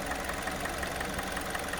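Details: 2016 G4NA 2.0 petrol engine, 100k mileage, warm idle: sharp, even tick-knock about five or six times a second; absent when cold — engine knock at warm idle.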